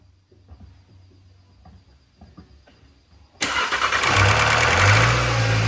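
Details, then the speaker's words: VW Gen 3 EA888 1.8/2.0 TSI with canister oil filter, cold startup: faint clicks, then a brief metallic rattle settling to a steady idle. Oil drains back from the filter housing to the pan overnight; the fix is the anti-drain-back valve or filter housing. "That's a cold startup rattle because the oil in the... it drains down from the oil filter housing. It drains back down into the pan."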